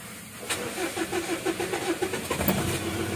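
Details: 2014 Mitsubishi Strada Triton GLS common-rail diesel, 176K km: cranks at about six even turns a second, starter a bit heavy, but won't fire; won't start unless primed with petrol.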